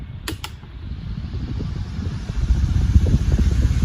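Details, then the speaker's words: Fan modification test, switched to fast gear; strong steady rush of air with low rumble building and holding, no ticking or rubbing; normal fan running at high speed, much faster than slow setting. "It's obviously fast, isn't it? much faster"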